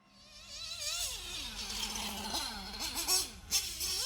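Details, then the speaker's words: 1/8 scale RC nitro car on track with lean high-speed needle: scream drops on braking but idle hangs high while coasting and never settles, as the engine is starved of fuel at full throttle. "and you can hear that the idle never settles the idle just stays high and that's because again the engine is starved for fuel at full throttle"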